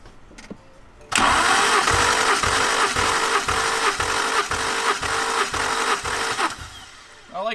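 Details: BMW E92 335i single-turbo during a compression test, cylinders reading about 120–135 psi: starter cranks at about three even compression pulses per second for five seconds, with no missing or weak beat; cranking sounds healthy.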